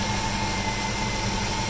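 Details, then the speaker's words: Freshly installed JS 240-amp alternator, charging about 14.0 V instead of usual 14.4: steady high-pitched whine over a smooth idle at one pitch; owner suspects failing alternator, unsure if normal break-in. "fair warning whenever I've had an alternator whine like that in the past means it's about to die means replace it there's no way but that could be normal"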